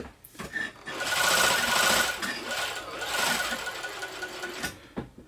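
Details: Janome Combi sewing machine and serger after the loose motor drive belt was tensioned: light, even mechanical chatter at a steady stitch rate with no slipping or knocking; the machine drives smoothly after the repair.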